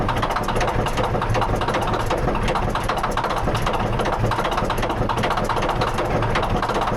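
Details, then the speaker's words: D9H dozer diesel idling with a hard, hammering rattle in time with the engine; knocks badly, serious internal knock, cause unknown. "Do you want to hear this thing rattle? It rattles bad."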